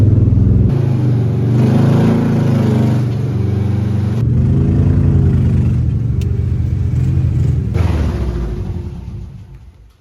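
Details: 1971 VW Beetle air-cooled flat-four, parked over 23 years, restarted after rolling down with no brakes, to drive up on the lifts: low even burble settling into steady rhythmic chug, no knocks or misses; runs healthy.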